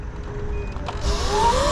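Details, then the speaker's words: E-bike riding at night: thin steady electronic tone then rising chirps over road and wind noise; bike still working. Intermittent warning beep, rider guesses an error code, cause unknown. "Like, something is beeping and I don't know what it is. Something is definitely beeping, right?"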